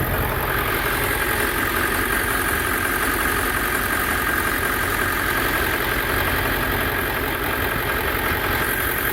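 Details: Ford 7.3L Power Stroke diesel ambulance, first start after replacing low-pressure oil pump, water pump, pulleys and belts; oil light went off quickly: steady, even idle clatter with no knocks, misses or squeals; normal idle.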